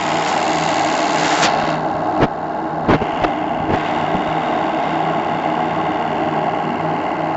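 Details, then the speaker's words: Live RC steam launch Topaz, Anton T200 steam engine with new regulator and matched burner, running at full throttle: fast even chuffing over steady burner roar, no knocks or hesitation; boiler holds 2 bar working pressure, a well-balanced steam plant. "Même à fond. La chauffe est suffisamment puissante pour me garder la pression de service à 2 bars."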